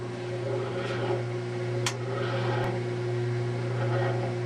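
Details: Kenmore/Whirlpool washing machine that won't spin: steady low electrical hum with no drum rumble building, motor running (lid switch ruled out) but not driving the transmission; failed motor coupler, part 285753A, replaced as the fix.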